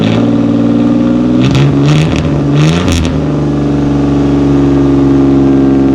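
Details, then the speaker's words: 1988 Camaro RS V6 that sat over a decade, first start after fuel system overhaul with new exhaust tip; steady idle and clean throttle blips with a little rumble, running better and better; normal running. "Running pretty good. We gotta cut that tip so it don't stick out so far, but I think that was a good choice. It gives it a little rumble. Don't quite sound like a V6."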